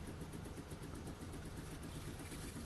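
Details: Steam cleaner pump running after filling with water, feeding a homemade plastic connector hose with an inline tap to the wand. Steady low pulsing buzz, no knocks or rattles; pump running normally.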